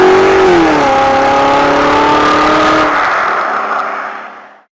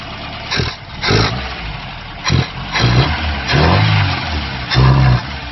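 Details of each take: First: Ford-based kit car with 1800 Pinto engine and Weber 32/36 DGAV carburettor on the dyno, after fixing a misfitted fuel return line and badly off ignition timing: clean rising note, steady under load, winding down smoothly with no bogging. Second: Ford Pinto-engined kit car with a Weber 32/36 DGAV carburettor: throttle blips swell, then sag without picking up revs. Bogging from fuel starvation, because a misfitted return line sent the low-pressure pump's fuel back to the tank; ignition timing was also out.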